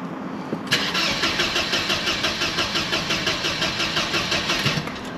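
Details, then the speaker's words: Mercedes W124 220CE cranking after a crankshaft position sensor fix: starter whirs with steady churn, about three compression pulses a second, but the engine never catches; crank no start, same noises as before. "basically we've got the same old noises as before which isn't a bad thing necessarily"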